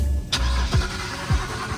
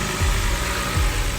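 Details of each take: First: BMW E91 325xi wagon that sat three years: starter cranks steadily at about two compression pulses a second for ten seconds but never catches; no fuel pressure at the rail bleeder, EKP fuel pump module found unplugged and faulty, to be replaced. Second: BMW E91 325xi wagon that sat three years, running after a new box on the back was fitted: steady low idle with an even, unbroken rumble and no knocks or misses; sounds healthy, slight burnt smell likely oil burning off after a valve cover job.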